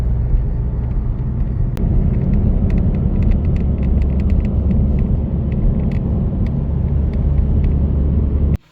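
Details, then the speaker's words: Seat Leon Mk3 with sunroof, over 10 years and 275,000 km: light irregular ticking and creaking over steady road rumble while driving with the sunroof closed; annoying but not serious sunroof rattle. "As you can hear, it's not serious, but it's annoying to circulate like this."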